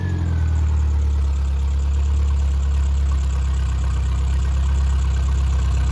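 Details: Triumph Spitfire/MG Midget 1500 engine FP59738UE after performance rebuild (flat-top pistons, 270 cam), warm idle: steady, deep, even four-cylinder beat, no ticking or knocking; oil pressure 60–65 psi, compression 195–202; electric fuel pump audible; normal idle.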